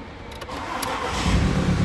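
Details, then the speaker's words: VW Multivan engine that developed a knock, first start after a belt replacement with the crankshaft timing marks reset (one mark had shifted, blamed on the worn belt): it catches quickly and settles into a low, even idle with no knocks. "сейчас был первый запуск завелась вот так вот работает ровно движок как часы"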